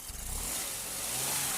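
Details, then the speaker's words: Running engine after water was sprayed on the drive belt: steady hum and hiss with the belt squeal gone, showing the noise came from a dirty belt, not a bearing. "tá vendo parou o barulho Tá com a água você consegue identificar se o barulho é na Correia ou rolamento alguma coisa ó parou tá vendo agora só sujeira na Correia mesmo"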